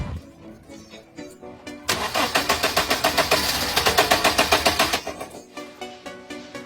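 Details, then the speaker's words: Used car that won't start, cranked during a fuel supply check: starter churns evenly at about four pulses a second for three seconds, then stops without the engine catching; crank no start. "There's spark, there's fuel, but the car still won't start."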